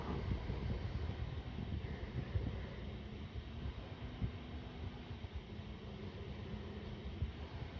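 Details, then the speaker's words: ResMed AirSense 10 CPAP after motor disassembly and blowing out foreign particles, new filter, ramping to pressure 8: soft steady low airflow hum, faint even tone, no rattle or whine; noise fixed, normal running. "I am proud to say it is fixed"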